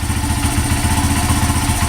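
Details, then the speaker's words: Honda CRF80F that had sat a long time, after a new NGK spark plug and fresh fuel, on choke in neutral: even, quick single-cylinder putter with regular firing pulses and no misses; normal idle. "It's getting there. Pretty smooth. The choke is on. Yeah, but that sounds pretty damn smooth."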